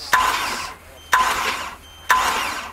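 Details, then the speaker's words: Mercruiser 4.3 V6 marine engine, hydrolocked, spark plugs removed after water found on them, new starter: three short starter bumps about a second apart, each a spitting hiss as water blows out of the cylinders. "I'm gonna stand back because I'm fully expecting the waters gonna come rushing out of something one of these cylinders"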